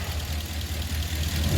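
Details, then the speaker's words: 2019 RAM 1500 pickup during a pre-purchase inspection: deep, even idle with only faint injector pulsing and no exhaust tick or fluttering MDS tick; engine sounds healthy, normal idle. "Overall, really good. On cold start in gear, there was no exhaust tick or anything like that, so that's good."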